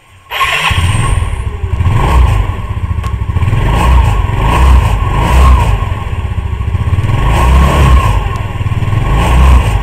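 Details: 2008 Yamaha Mio Sporty scooter after replacing a shredded CVT V-belt, with the front pulley and rear clutch serviced; it starts promptly, then a smooth, even putter rises and falls cleanly with the throttle, with no slipping whine or rattle.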